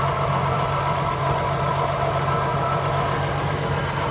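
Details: Holden HQ one-tonner off the road 29 years, carb still without a working accelerator pump, smoke from the breather tube: a steady, even idle with a smooth low rumble and no hunting or misses, running cleanly.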